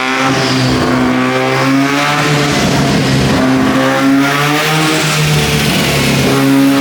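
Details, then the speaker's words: 13B turbo rotary in a replica Lamborghini Diablo, after fixing a missing engine earth and a loose injector power pin that stopped injectors firing: smooth, steady even buzz, no misfire or stumble. Healthy running. "we fixed that the car as you can hear is now running it's so exciting to hear the motor running that way"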